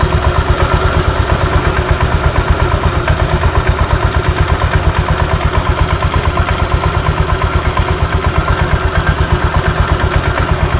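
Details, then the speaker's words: Honda Vario 125 idling: sharp, regular tak-tak-tak knock about three per second that vanishes when revved; possibly loose rollers bouncing in the CVT front pulley roller housing. "jadi di sini ketika stasioner ketika langsam di sini bunyi tuh tak tak tak jelas kedengaran teman-teman ya kita dekatkan"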